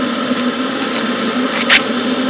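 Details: Hcalory Toolbox 2S portable diesel heater running on high, about 266 degrees at exhaust muffler; steady low drone with soft fan rush, no knocks or rattles, running evenly.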